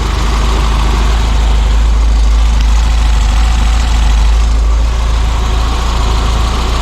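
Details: Peugeot 205 GTI fully rebuilt engine running after its first startup: steady, low, even idle with a soft rhythmic pulse and no knocks or ticks.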